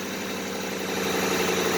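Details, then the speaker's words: Ford Explorer, previously said to have a bad engine noise and with a badly chewed-up drive belt, now idles smoothly and steadily with an even hum and no knocks or ticks; normal idle. "This motor sounds fine. There's no noise in the motor, which when I got this vehicle"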